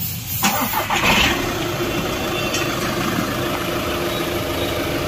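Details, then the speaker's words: Volkswagen Ameo automatic after gearbox repair that fixed a cutting noise at start-up and while driving: the starter turns briefly, the engine catches at once and settles into a steady, even idle with no clunking. Sound is now normal. "ना अभी इसका normal आवाज हो गया है"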